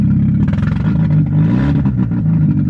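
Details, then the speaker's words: Car with the exhaust fallen completely off at the header, running smoking and very loud with a raw open-pipe, uneven stumbling beat. Misfire with loud open exhaust. "Oh, Jesus Christ. What is that? Alright, well, it's misfiring pretty nice."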